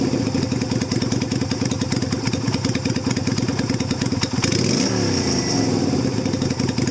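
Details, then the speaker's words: 2000 Yamaha Virago XV250 with its carb top back to stock (non-stock air cleaner and exhaust, rejetted), in cold weather: steady, even idle thump, then a smooth throttle blip and clean return with no misses. Normal running. "The whole top of the carb is back to stock, so I'll see how it runs. Sits and idles perfectly."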